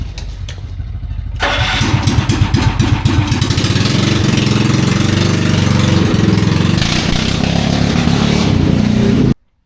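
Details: 16 hp single-cylinder engine in a racing golf cart, first start on a newly installed electric starter: brief crank, catches first try, settles into a quick, even putter; healthy.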